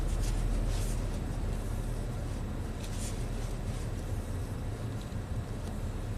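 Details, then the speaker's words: 2010 Nissan Maxima at idle after P0171/P0174 system-lean repair, with trouble codes cleared: steady, even idle with a low, smooth drone and no stumbles or hiss; running smoother and cleanly, as expected. "definitely running smoother as expected"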